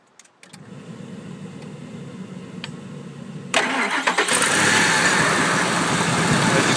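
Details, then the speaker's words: 2002 Ford F-150 SuperCrew 5.4L Triton V8 after replacing a bad PCV valve (Purolator PV233) that caused a whining noise at startup and shutdown: cranks, fires and settles into a quiet, steady idle with no whine. "can see nice and quiet so if any of you out there are experiencing the same thing obviously if you're due for a tuneup which I'm doing now looking to change the spark plugs PCV valve L filters basically get this guy up and running"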